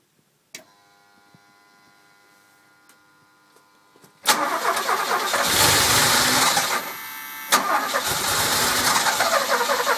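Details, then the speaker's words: Cold start with no throttle on a mostly stock DeLorean (cold start valve checked OK), which runs fine warm: the engine cranks, catches and runs briefly, then the revs sag and it dies within seconds. "gas and as you can see it dies pretty quickly if it does ST"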